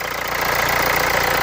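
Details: Hyundai Santa Fe 2.2 CRDi diesel with wiring-related no-start problem, now running: steady idle with even light clatter ticking at a regular rate, no misses or surges. Normal diesel idle.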